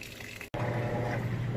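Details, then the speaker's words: Maytag high-efficiency washer at cycle start with towels, auto-sensing the load and filling: a brief drop, then a steady rushing hiss of incoming water over a low hum. Normal water fill. "I've got some towels down in there. It's just getting started sensing and filling up with water."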